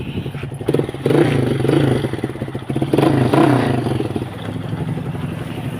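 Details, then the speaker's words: Kawasaki KSR with an aftermarket exhaust, just started on a weak battery: it holds a steady, even idle with a light, regular patter and no misses or surging. The seller judges the engine good and smooth. "ติดแล้วนะครับเครื่องถือว่าดีเลยนะฮะนิ่มๆนะครับ"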